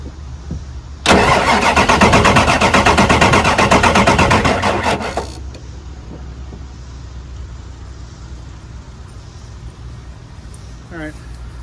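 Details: 1999 Ford F250 Super Duty 7.3 Power Stroke diesel, sat for years, sprayed into the intake with the airbox off: starter churns fast and steady about four seconds, never catches; crank, no start, owner suspects crank sensor, batteries weak.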